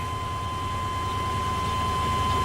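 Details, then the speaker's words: Dually truck at high idle with air filter removed: strong steady intake roar and whistle, idle won't drop back to 600 rpm; owner first suspected a plugged air filter, now thinks something is leaking air, unconfirmed. "High I know you can hear a lot of suction I got the air filter off cuz I thought the air filter was plugged but"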